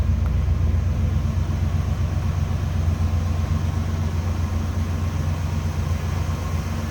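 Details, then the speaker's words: 1971 Chevrolet El Camino, 5.7 made into 383 stroker per previous owner, idling: steady even low burble about four beats per second, mild exhaust rumble, no lifter noise or exhaust leak; normal idle. "mooth a running V8 that is. Sounds good. No lifter noise, exhaust leak, anything like that. Nice and smooth."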